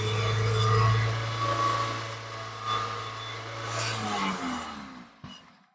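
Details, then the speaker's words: Toyota Corolla Altis 1.8G petrol engine revved with the dipstick pulled to check for blow-by, none seen; smooth, even speed with no knocks or misfires, winding down cleanly. Normal, healthy revving. "ఇంజిన్‌ను వేగవంతం చేస్తాను; నేను gauge stick తీసి ఇంజిన్‌ను వేగవంతం చేసి, ఏమైనా petrol బయటకు వస్తుందో"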